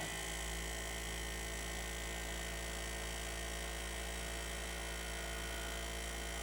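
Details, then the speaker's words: Sony BDP-S380 Blu-ray player after Schottky diode replacement in the power supply, during playback: steady electrical hum with thin constant high whine from the spinning disc drive; sounds unhealthy, cause unknown. "It just doesn't sound very healthy, does it?"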